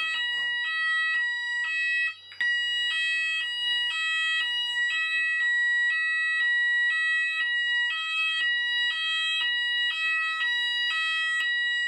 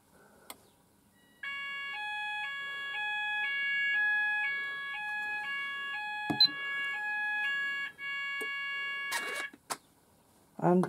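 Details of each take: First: Apollo addressable fire alarm system test, landing detector on Zone 3 activated: loud, steady alternating two-tone warble repeating evenly with no dropouts; sounders operating normally. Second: Apollo addressable fire alarm system test, sounders started manually after the last detector failed to signal them: clear two-tone alarm switching pitch about twice a second for six seconds, then stopping; sounders themselves work.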